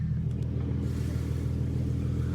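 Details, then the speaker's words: Mustang backing up in reverse after replacing an exhaust hanger for a long-standing rattle, worst in reverse and also at 1500–1700 rpm cruising: smooth low rumble, no rattle heard, though the owner doubts it's fully fixed. "not as bad at all that's for sure oh that didn't do it at all maybe just need to settle in the place or something"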